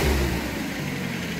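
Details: K21 LPG engine truck, run while checking the injector driver module signals for an E-35 code: quick rev rises cleanly and settles back to a smooth idle without stumble or backfire; responds normally.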